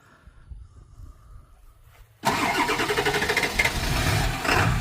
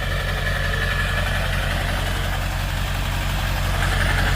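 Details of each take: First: Ford F-250 7.3 Powerstroke diesel that had been low on oil, restarted: cranks, catches and settles into a rough, uneven clatter with irregular heavy knocks, misfiring hard; injectors considered. Cause suspected, not confirmed. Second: Ford F-250 7.3 Powerstroke diesel, previously ran horribly on low oil with no power, now topped up with additive and driven 20 miles: steady low diesel clatter at idle, even with no stumbling or misfire, normal idle.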